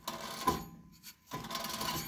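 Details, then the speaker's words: 1984 Mercedes 300SD W126, rear hub spun by hand with caliper and rotor off: gritty crunching bursts that fade and return each turn; failed rear wheel bearing, first heard while driving. "unfortunately that doesn't sound too positive to me i think that's probably a wheel bearing and that is a whole bunch of work"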